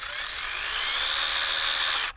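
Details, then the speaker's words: Battery-powered 6-inch OLMLMO mini chainsaw, trigger pulled before cutting locust: high electric whine starts slow and rises steadily in pitch for about two seconds, then cuts off; normal soft-start spin-up, so get RPMs up before entering wood. "You can hear that after you pull the trigger, it starts out slow and gradually builds up RPMs."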